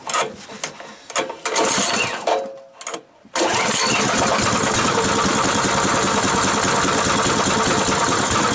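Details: New Power Fist 6.5hp 196cc engine, first start: a few sharp cranking pulls, then it catches and settles into a steady, even buzzing run with no hesitation.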